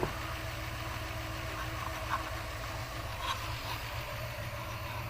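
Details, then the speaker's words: 1997 Dodge high-roof van, 360 V8, automatic, first start after sitting 5+ years: low, steady even hum with no knocks or misses; V8 idling smoothly. "I thought I picked an easy one that ain't too bad for sitting that long now is it"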